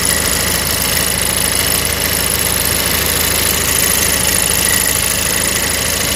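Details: Cadillac ATS idling in drive after a long drive, noise fading with a little throttle: light, fairly regular tinny buzz-rattle; broken exhaust bracket near the oil filter letting the pipe chatter, repaired by welding.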